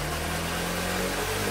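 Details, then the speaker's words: Honda Shine motorcycle after clutch plate replacement, new engine oil and new plug, shifted up to fourth: steady, even low engine drone with smooth unbroken beat, no knocks or rattles, no noise at all; normal running. "Okay, గేర్లు మొత్తం మారితే pickup చూసారా, sound కూడా ఏం రావట్లేదండి."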